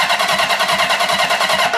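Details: Cranking with fuel off on one of two long-stored bikes, an early KZ1000 or a custom CB750 bobber that have not run in 10 years. Quick, even starter churn turns over freely, and oil pressure is confirmed.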